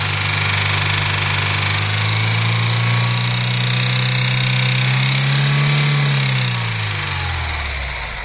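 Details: Daewoo Lanos 1.5 SOHC: steady idle with a low drone that swells then sags, a loose irregular pulse riding on it; engine noise of unclear cause, damage suspected, not confirmed.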